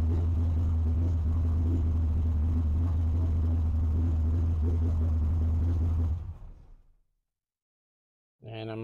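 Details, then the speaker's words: Holley EFI HP Dominator car after tuning the IAC, parked position, cranking fuel and prime percentage: started with no throttle at 100 degrees, a steady, even low idle with a smooth regular pulse and no misses or knocks, then it shuts off. "I'm just gonna crank no throttle no anything and we're gonna see how long it takes for it to start at 100 degrees"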